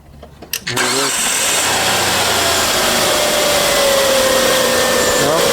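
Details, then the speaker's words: 2003 Hyundai Sonata 2.7 L V6 after timing belt, tensioner, pulleys and water pump replacement: cranks briefly, fires right up and holds a steady, even idle with no knocks or slapping; runs good, no problems. "sounds good, runs good, no problems."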